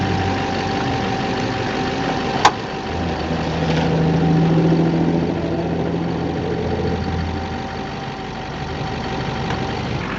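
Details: 2008 Silverado 2500 Duramax idling while the wheels are turned, three sharp pops; popping later cured by removing the four engine crossmember bolts, cleaning and greasing threads, and torquing them to spec.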